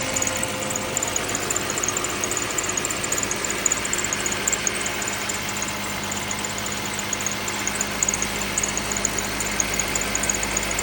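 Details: 2010 Lexus ES350, 3.5L V6, just after a cold start: a light, uneven rattling/creaking tick over a steady idle.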